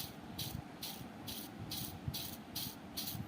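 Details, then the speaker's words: Ceiling fan, about 15 years old, being converted to BLDC, rusted inside, bearing spun by hand: gritty rasping rattle surging about twice a second, vibration felt; the bearing is worn out and both bearings are being replaced. "കണ്ടില്ലേ അതുപോലെ നല്ല മുഴക്കമാണ് sound നിങ്ങൾ കൈകൊണ്ട് തിരിക്കുമ്പോൾ തന്നെ ആ ഒരു vibration നമുക്ക് അറിയാൻ കഴിയുന്നുണ്ട്"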